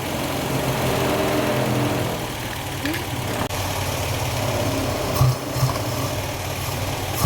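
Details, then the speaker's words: 1953 Austin A40 Somerset before tune-up, points and carburetor work: low lumpy idle shaking unevenly with occasional sharp pops back through the carburetor; rough running, sign of ignition and/or fuel problems, cause not yet pinned down. "that popping back through the carburetor is a sign of ignition problems as well as fuel problems [Music] obviously there's a lot of vibration there that's pretty rough"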